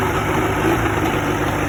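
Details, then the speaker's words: 1986 Evinrude 50 hp outboard at idle with a little throttle: an uneven, shaky idle with an irregular stumble in the beat, a misfire; cause not evident. "Start to give it a little throttle. See, that's a misfire."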